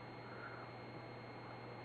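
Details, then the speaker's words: Daewoo CRT TV about 17–18 years old, switched off by remote with the red light out: steady, loud low hum. "телевизор daewoo какая в нем проблема гудит при выключении с пульта"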